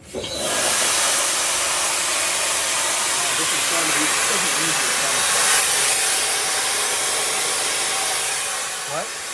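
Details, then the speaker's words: MCI MC5-C vintage bus: loud, steady hiss of escaping air the whole time the brake pedal is held down; major air brake system leak, bus failed its air brake test. "First thing I wanted to do was just check for air leaks in the braking system, and obviously there's a major air leak."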